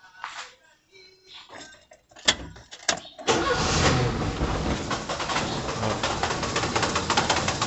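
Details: 1991 Fiat Uno 1.3 cold start: after handling, engine catches and runs with a loud, rough, annoying rattling from the gearbox area that occurs only when cold and fades as it warms; cause unknown, clutch somewhat worn.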